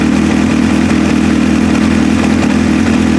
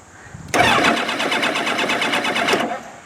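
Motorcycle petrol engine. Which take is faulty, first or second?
second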